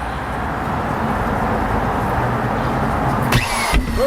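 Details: Rockwell electric saw recovered from a river, sprayed with WD-40 and plugged in: continuous, even motor buzz with no stalling or grinding; the saw runs.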